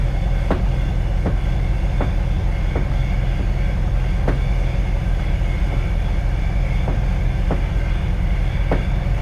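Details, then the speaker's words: 1971 VW Bus on a test drive: intermittent sharp taps over the driving drone, a rattle that keeps coming back. Owner suspects something hitting the splash pan and plans to recheck valves, carb sync and timing once the engine cools. "Something has to be hitting the uh splash ram. It's not a safety issue, but I shut that down."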